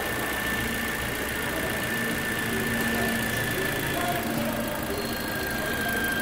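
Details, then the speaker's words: Toyota Corolla on its first start after an engine replacement: steady, even idle with a faint high whine from the belt side and no knock or stumble. The engine runs very well. Normal idle. "como previsto né motor está funcionando muito bem mas nada muito bem mesmo"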